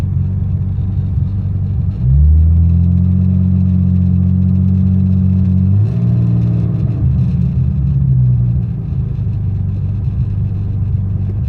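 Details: BMW E23 735i with an M106 turbo swap, cold start on a new battery: after starting, a low, uneven idle that sags and hangs and wants to die, easing once warm; injectors, TPS, ICV, wires, plugs and rotor already renewed, owner suspects the cold-start injector, unconfirmed.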